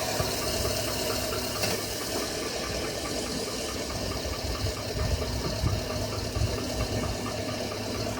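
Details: 2007 Chevrolet Avalanche at idle: a light ringing tick about four per second over a watery hiss, the noise narrowed to around cylinder five; owner unsure whether engine knock or piston slap.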